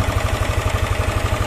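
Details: Yamaha N-Max with a rough top-end noise suspected at the cylinder head, checked by screwdriver with the cam chain tensioner plug removed: fast, even tapping of about ten beats a second at idle. Valve clearance tick; valve settings need resetting.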